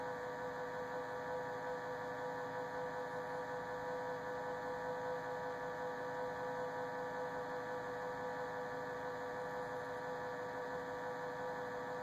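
A constant low electrical hum with a faint higher tone riding on it, unchanging throughout; the fridge hums, cause not evident.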